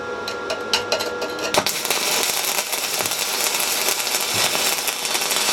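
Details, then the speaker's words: SIP Autoplus Mini 130 synergic inverter welder stick welding a 3.2 mm 6013 rod at 110 A: sharp crackling arc with a few spits at the start, then a steady even frying sizzle; stable, well-running arc, normal. "it's about as good as it gets on the 6013 that is enough absolutely amazing to use"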